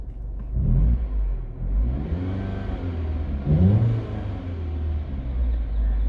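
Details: 2009 Mini Cooper R55 petrol with VANOS fault code 2845, stalling at low speed; washing the solenoid valves didn't help: uneven rough idle, pitch wandering, a couple of quick revs.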